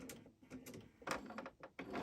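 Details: Sewing machine stitching with a free-motion foot: light stitching chatter broken by a couple of sudden harder clunks out of rhythm; something is catching, cause not clear.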